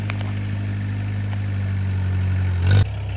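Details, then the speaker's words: An old-model Mahindra diesel pickup, revived after what seems over two years unstarted, holds a steady, deep, even idle with a smooth, clean throttle blip near the end. The diesel is healthy. "അന്നേരം സ്റ്റാർട്ടാക്കി നമ്മൾ just ഓടിച്ചു നോക്കി. വണ്ടി ഇടിവെട്ട സാധനം കേട്ടോ, ഒരു വിഷയമില്ല."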